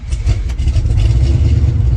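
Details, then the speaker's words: Deep, even V8 rumble settling into a smooth steady idle with no knocks or ticks, from a borrowed 1970 Pontiac LeMans 455; fires right up and sounds healthy, normal idle. "Fires right up. Oh, it's so nice. It's good to be behind the wheel of a Pontiac again, let me tell you."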